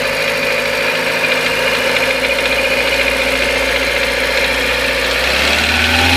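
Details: Renault K4M engine, hot, at about 2,000 rpm: fast light knock over the running noise; cause unknown.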